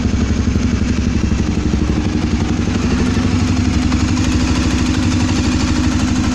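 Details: Twister engine noise at idle: a fast, steady idle with a dry clattering tick over the low thump on every beat; mechanical engine clatter, cause unknown.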